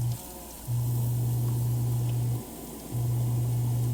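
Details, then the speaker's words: Off-grid propane tankless water heater just installed, first run with strong pump pressure: even low hum dropping out briefly twice then steady; firing normally, water coming out pretty warm. "Well, looks like we got hot water. The water's pretty warm."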